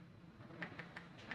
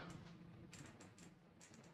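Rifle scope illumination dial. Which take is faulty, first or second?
first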